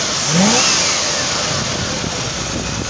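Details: 1978 Ford P6 LTD (Ford Australia) barn find from a shed in regional Victoria: V8 revs cleanly and settles to a smooth idle without knocks or misfires; starts and runs well, engine sounds good, gearbox shifts nicely, no diff noises.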